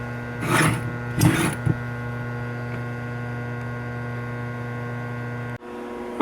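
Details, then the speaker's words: 1951 GE Model 410 AA5 tube radio: steady, loud low hum with a buzzy edge held over five seconds, then cutting out; heavy mains hum, cause not confirmed. "this little part here is gonna be to all those people that think I should use an isolation transformer for my repairs on this as you can hear it's hums real bad"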